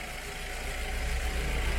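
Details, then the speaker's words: VW Gol with a flashing oil light, engine cold and revved: uneven, throbbing low beat, heavy vibration and loud noise on the clutch side; rough running, mechanic suspects a clutch problem, not confirmed. "a little bit and it's vibrating a lot and it's making a very loud noise here."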